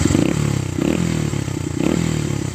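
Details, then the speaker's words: Small single-cylinder four-stroke bike after muffler repacking with steel wool and a welded baffle: firm, even low exhaust beat with occasional throttle blips, quieter and more responsive; no longer hollow-sounding, healthy. "It has a different note to it too. It used to sound hollow. Now it sounds like"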